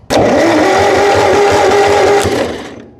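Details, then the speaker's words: 1958 Massey Ferguson TO35 tractor, abandoned, no spark, distributor rod not turning the points while cranking; starter whirs steadily about two seconds, cranking free and fast without normal compression rhythm. Distributor rod probably broken or its gears stripped. "So what's going on here is this rod right here is supposed to be spinning around in a circle as we're cranking it over, and that's what opens and closes your points, but this one is not."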